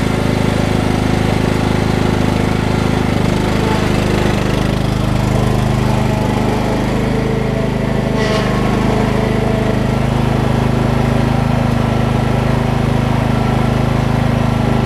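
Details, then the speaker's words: Craftsman LT2000 riding mower after replacing belts and freeing a frozen deck spindle: engine cranked to test blade engagement, steady even drone with constant low hum, no knocks or misses; runs smoothly, normal running. "So at this point all that's left to do is crank it up and see if we got some blade action again."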